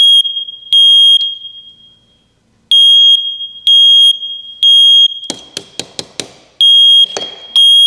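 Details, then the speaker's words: First Alert smoke detector on a 9V battery after cleaning and filing the contacts: loud high-pitched beeps in repeated bursts with no smoke, broken by clicking handling noise; false alarm, cause not yet found. "That beeping is exactly what it was doing for for Joe. That was driving me crazy."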